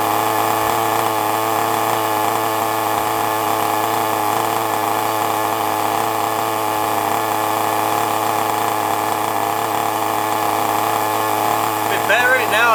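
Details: FTX Carnage nitro RC car after start-up: high, even buzzing drone at a steady pitch with no misses or sputter; running smoothly.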